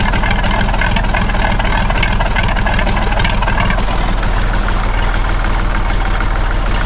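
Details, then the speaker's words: Massey Ferguson 35X diesel tractor at 800 rpm with the original exhaust, before the new QTP silencer goes on: steady, even diesel chug at low idle with no knocks or misses; normal idle. "Okay, and what we can do now, and because we now have an operational clock, we can do them both on 800 RPM."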